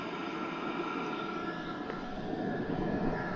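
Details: Diesel heater just after mains power was cut, now running on its backup battery at about 12.5 V and still giving plenty of heat. The fan and burner make a quiet, steady whoosh that stays unbroken. It runs normally on backup power.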